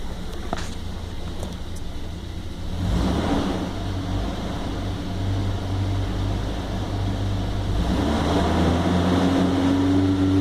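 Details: 1997 Toyota Land Cruiser FZJ80 1FZ-FE petrol six: rough wavering idle persisting to about 2000 rpm; MAF and vacuum leaks checked, after a short drive smoother, ECU reset suspected, slight shaking remains.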